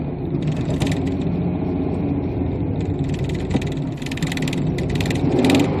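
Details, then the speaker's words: 1992 Chevy Camaro third-gen V6, batch-fire, 176,000 miles, new distributor, coil, wires, plugs and injectors: engine revs hesitantly and unevenly when throttle opens, stumbling and trying to die; cause not yet found. "if I step on the gas it'll shut off or it'll try to shut off see"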